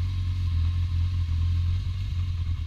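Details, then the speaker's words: Yamaha XJ600 motorcycle, still a little cold after about 5–9 minutes running: low, uneven idle that stumbles and surges with the beat breaking up. Owner suspects spark plug wires arcing onto the engine, causing misfires, sputtering and backfires. "I had to pull the bike out a little bit because you can hear it's kind of stuttery a little bit, you know, stutters. Still a little bit cold."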